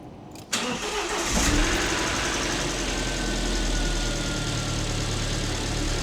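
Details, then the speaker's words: Alfa Romeo MiTo QV 1.4 TB after a timing belt replacement with fresh oil and coolant: it catches at once and settles into a steady, even idle with a light injector tick, louder because the engine cover is off; runs normally. "It's running now and running normally. The injectors are rattling. Now it's missing that engine cover, so that sound is a bit louder."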